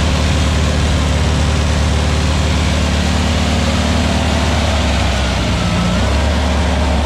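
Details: Freshly built VW Beetle 1679cc single-port engine with Scat C25 cam and dual Empi ITC carbs during its 20-minute cam break-in after first fire-up. A strong, steady flat-four burble holds an even speed with no knocks, ticks or misses. Healthy, with no leaks.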